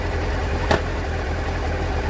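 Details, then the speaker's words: 1989 Honda CBR600 restoration after carb clean and fuel drain: choke dropped from the 1,500 rpm fast idle, engine settles to an even, steady low idle with no misses or knocks, in neutral; sounds healthy. "So that's at 1.5, so when I drop the choke, it should drop to the foul."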